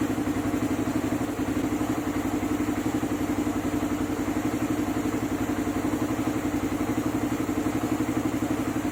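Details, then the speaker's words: Suzuki Raider 150 idling after a clutch housing and lining change (an earlier housing was oblong and had to be machined again): steady single-cylinder beat about four per second, no clutch-side rattle; engine now quiet, all good. "Ayan, okay na. Ayan, tahimik na yung makina nyo. Tahimik na. All goods."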